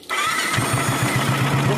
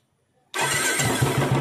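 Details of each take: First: Royal Enfield Classic 350 single-cylinder engine starting and idling with light metallic tik-tik ticking from hydraulic tappets; engine oil filter shown, oil supply to tappets suspected. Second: Royal Enfield Classic 350 Bullet after tappet-noise work: the engine fires at once into a steady, evenly spaced thump with no top-end tick; normal idle.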